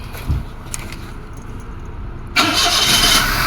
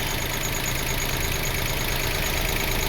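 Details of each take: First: 2005 Toyota Passo after new relays restored current flow following a prior no-start: engine starts to a fast idle over 1,000 RPM that sags then climbs back instead of holding steady; idle control fault from a previous repair. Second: 2005 Toyota Passo after the no-crank and idle control faults caused by a previous repair were fixed and codes cleared. The engine settles back to a steady, even idle after a throttle blip, with no hunting. Normal idle.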